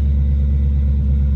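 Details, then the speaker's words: After a new BBK intake manifold (a hole was never plugged, leaving vacuum leaks for almost a year), first start-up: deep, steady, even idle rumble, not louder but buttery smooth, no misses, ticks or hiss. Normal idle. "here we go first start up new intake oh yeah that sounds really good"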